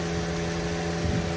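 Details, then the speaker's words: Toyota Avanza after engine teardown for rough running from a worn, rattly camshaft, adjusted without replacing cam or cylinder head; idle after climbing test drive, fan cycling off, not overheating; even steady smooth low hum, no knocks or misses; normal. "ini kondisinya mesinnya masih halus ya nih Walaupun walaupun noken asnya itu koclak koclak-koclak gitu kotkotk kek gitu"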